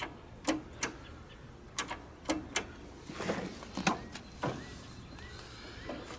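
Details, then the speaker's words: Late-1980s curbside John Deere RX95 mower, engine confirmed free, on a temporary battery: sharp, irregular clicks with no cranking. The starter tries but cannot turn the engine; owner says it needs a battery and suspects a starter or other problem. "know what it's acting like it's trying I think what I want to do see if the engine's even free we've established that it's free needs a battery for sure"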